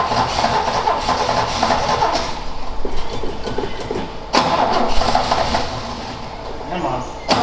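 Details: Ford XA Falcon, long parked outside, choke unhooked, float bowl refilled. Long stretches of even cranking that catch briefly but never run. Cause unconfirmed.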